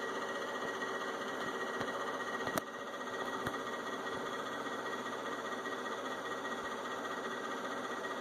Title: Inverter only left fan on making noise